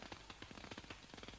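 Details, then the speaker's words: MAG welding in the high power range under CO2: irregular crackling with sharp, uneven pops rather than a smooth hiss. This is globular transfer, with drops two to three times the wire diameter crossing irregularly and non-axially, causing unwanted short circuits and spatter. "tropfengröße ist zwei- bis dreimal so stark wie der graf durchmesser der material übergang erfolgt um regelmäßig und nicht axial ungewollte kurzschlüsse führung zu spritze aus los"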